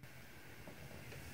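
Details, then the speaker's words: Kohler toilet continuously running: faint steady hiss of water leaking through the fill valve, stopping when the supply is shut off. Flapper seal and inlet valve seat are to be cleaned, cause suspected. "so you hear that little bit of a hissing that's an indication that it's leaking"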